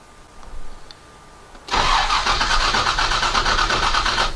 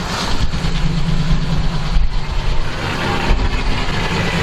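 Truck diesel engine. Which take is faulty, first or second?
first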